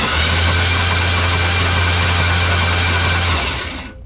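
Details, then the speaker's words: 1980s Chevy C10 abandoned about 20–22 years in the woods, cranked with a remote starter trigger and no spark plugs fitted: a fast, even whirring crank with no compression pulses for about three seconds. Healthy starter, engine turns freely. "Oh! Wait a minute. That's a pretty good starter right there. She is turning and burning."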